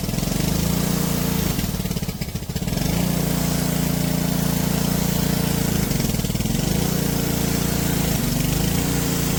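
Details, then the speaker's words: Junked Honda-powered Homelite pressure washer, carb cleaned and float valve checked, hunts up and down with speed sagging and recovering every few seconds; the owner suspects bad gas and drains it for fresh. Surging. "Alright, that's definitely doing something weird. Could be bad gas? I don't know."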